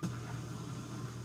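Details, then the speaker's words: Miele dishwasher that kept draining with no cycle selected, after unsticking the stuck-open one-way valve; cycle 3 started, drain pump runs normally at cycle start; steady low hum with faint water, no rattle or strain. "the beginning of a cycle, but it should only run for about a minute."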